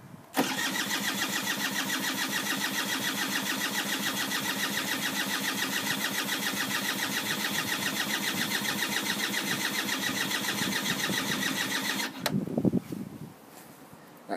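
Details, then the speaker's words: Hawk motorcycle, wires and connections checked: starter spins the engine about three to four beats a second for twelve seconds, never catches; cranks but won't start, cause unknown. "I'm having problems getting it started I've checked all the wires and connections can't find any problems having and I can't figure out why it's not starting"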